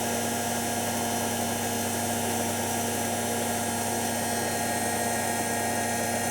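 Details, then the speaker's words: Washing machine on program F, before the Zanussi XC: steady motor whine with constant fizzing crackle from motor brush arcing, seemingly less bad now; brush length to be checked. "Definitely some arcing going on though. You hear it? Thinking it's not as bad now, but I'm going to check the brush length."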